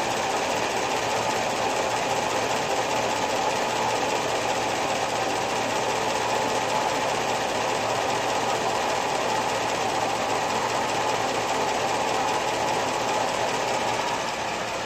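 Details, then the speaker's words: Top-end-rebuilt engine with Comp Cams hydraulic roller lifters after about 14 hours run-in, hot at operating temperature, with the wheel tubs off: fast, dull, even clatter over a smooth idle. Normal lifter noise. "so basically you hear some dull clatter it's kind of dull and even there might be like one keep in mind that's not what it started out like at the very beginning they were uh they were clacky and noisy and they had to be run in"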